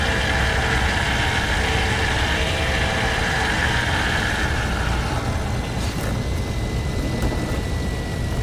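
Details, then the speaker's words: AMD Radeon Fury X AIO water cooler pump after much coolant has escaped: a loud, harsh rattling grind over a thin steady whine, rough and uneven throughout, as the starved pump struggles, so the grinding comes from low coolant. "so much fluid has escaped from this guy that it sounds absolutely scary and really it really hurts like my teeth"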